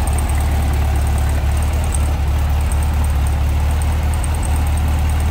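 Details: 1966 VW Beetle, restored ex-California car: air-cooled flat-four at idle beside the clean rear engine bay, a smooth, even low burble with no misses, knocks or rattles, not smoking; normal idle.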